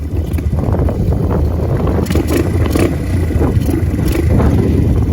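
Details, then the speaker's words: Pit Pro pit bike, 90cc GPX engine, new Amazon carburetor, air-fuel 1.5 turns out, just started cold, choke just switched off: quick steady buzz a bit faster than normal idle, runs fine; idle maybe set slightly high. "All right, not so bad. Maybe a little high idle, we'll let it warm up."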